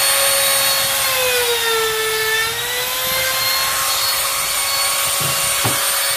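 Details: Grizzly T27139 quarter-inch trim router, about 4 months old, with a brand new bit at full speed in scrap hardwood: high steady whine sags briefly as the bit bites, then returns to full speed; cutting cleanly, normal.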